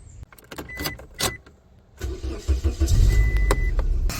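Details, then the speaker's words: 2006 Scion xB, about 20 years old, start after replacing brittle ignition coil plug connectors: clicks, then even idle, misfire gone, faint high belt chirp/squeak; belts due for replacement. "Alright, I definitely don't have the misfire anymore. I do have a squeak at the belt."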